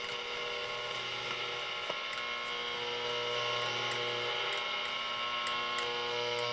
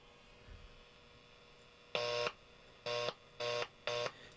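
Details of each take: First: Hallicrafters S118 receiver after straightening a touching plate in the oscillator tuning capacitor that was killing the oscillator: steady hiss with clear, stable tones, no crackle or dropouts; normal reception restored. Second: Hallicrafters S-118 receiver, failed after months of use: received audio cuts in and out in short bursts with dead gaps as a tuning capacitor plate, with dirt in it, shorts and kills the oscillator; plate bending didn't fully fix it.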